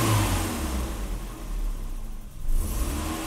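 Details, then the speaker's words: 1984 BMW 318i (M10), 65,000 miles, with a new distributor. After the idle control valve was cleaned, actuated and reinstalled, the idle surges between 600 and 800 rpm and nearly dies. Owner suspects a bad idle control valve: erratic idle. "So now it wants to die. It's probably from me spraying out that idle control valve. You know, this makes me believe that it may be a bad idle control valve."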